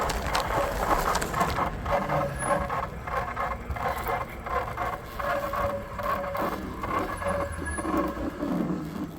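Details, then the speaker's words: 2024 Mokwheel Obsidian e-bike riding in pedal assist level 5: light scraping squeak repeating each wheel turn; not the fender but the front brake hose rubbing the tyre and spokes. "Sounds like something is still rubbing. And it is definitely not. Whatever is rubbing is definitely not the fender."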